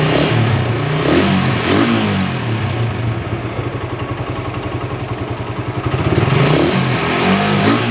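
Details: Suzuki Satria FU 150 single after engine teardown and rebuild; revs rise and fall, steady patter between blips, pulls smoothly and sounds healthy.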